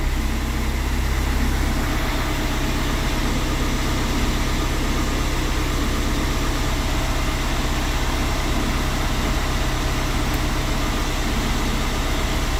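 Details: VW Passat diesel after repairing a no-start (codes P0322/16706, engine speed sensor G28 no signal, glow plug lamp flashing): even, steady idle with a smooth low rumble, no knocks or misses; normal idle.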